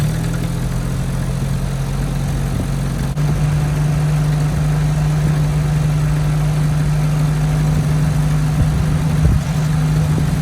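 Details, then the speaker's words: 1967 Jeep CJ5 with manual transmission, off the road 23 years, first start after revival: steady, fairly fast idle hum that never drops; idle too high, plus janky exhaust and locked-up brakes. "it's got a high idle it's got no brakes it's got a janky exhaust"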